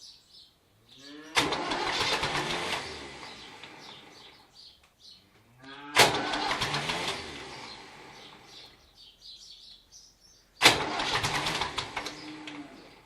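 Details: David Brown tractor: three separate cranking bursts, each a couple of seconds of labouring starter churn that fades out without the engine catching; cranking but not starting.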